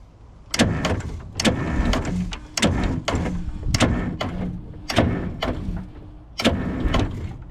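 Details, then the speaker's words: 1977 Eagle bus, first start attempt in 10 years, both batteries at good voltage: heavy uneven clunks about once a second as it turns over; the engine isn't spinning freely and the owner judges it won't start and is too far gone. Cause unconfirmed. "The problem is, like I said, you can hear it. You can hear it as I turn it."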